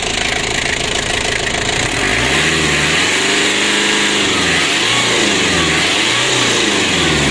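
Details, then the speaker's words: Ford Ranger diesel that previously wouldn't rev high, as if limited, and was losing engine oil, after repair: idles then revs cleanly up and down several times, smooth with no hesitation; healthy. "kita hidupkan dan kita coba gas itu sudah bisa Meraung untuk mesinnya"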